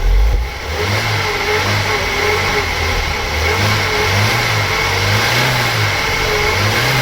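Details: Opel Omega A GLS 2.4i CIH estate, parked since 2003, running after fresh petrol added: revs cleanly up and down, smooth even note, no tappet ticking or knocking; healthy running.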